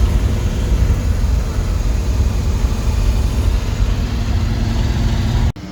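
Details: Buick Skylark with new intake gaskets and new carburetor, before first cruise of the year: deep even rumble, steady loudness, no knocks or misses; smooth idle.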